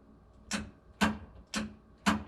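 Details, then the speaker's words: 1951 Chevy truck with new Dakota Digital VHX gauges, start button wired through the neutral safety switch: four crisp clicks about half a second apart in a quiet cab. The external relay and starter solenoid are engaging normally. "So that's the external relay picking up, starter solenoid picking up."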